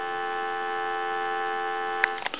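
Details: Western Electric Sculptura donut telephone, handset answered: clean, steady two-note dial tone hum with no crackle or dropouts, then a couple of handset clicks; dial tone normal.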